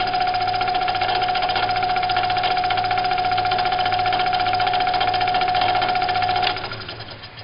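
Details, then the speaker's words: 16-inch Delta scroll saw on a test run after fitting a modified Amazon blade clamp and trimming the blade: a steady, even chatter of about 220 strokes a minute, then it switches off and spins down. "I'm going to tighten that down. Apply tension, check it, and give it a test run."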